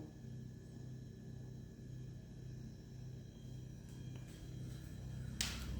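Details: Beko refrigerator, 2023, about two weeks old, recorded one to two meters away at minimum setting: steady low transformer-like hum with tonal drone, measured 50 dB versus 37 dB claimed, compressor rests only about an hour a day; excessive compressor hum.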